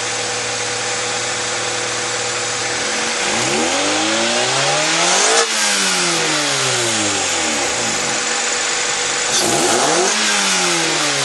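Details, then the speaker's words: 2001 Honda CR-V after fixing a misfire caused by the distributor rotor: smooth idle, then revs climb and drop cleanly twice with no stumble, popping or backfire. "yeah that was the problem there's no backfire it's perfectly fine it's running perfectly idling perfect"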